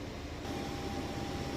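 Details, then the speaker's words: Maytag Bravos XL high-efficiency washer with a heavy load of jeans and towels, final spin getting faster. A smooth, even rushing spin with a faint steady tone and no thumping or scraping; healthy. "but as you can see it's nice and smooth sounds great and it actually gets going even faster"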